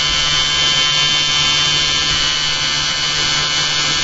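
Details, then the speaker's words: Magnet motor rig with a new eccentric bobbin and magnet holder at about 5,360 RPM and 1.01 A input: steady high-pitched rattling buzz over the motor drone; suspected loose outer magnets in their slots, to be reversed and glued better; source unconfirmed. "I have these extra magnets on the outside, inside these slots, which have to be reset. They're all in a string, so what I'm going to do is reverse them, should quieten things down a bit."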